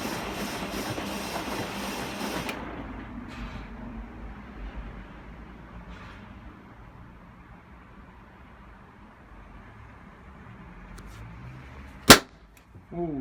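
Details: Found Hotpoint Aquarius WMA50 washing machine on a 60° Cottons test wash, top removed: quiet churning then a sudden sharp crack like a firecracker; earlier tripped the house MCB with sparky noises; owner suspects a loose connection at the heating element.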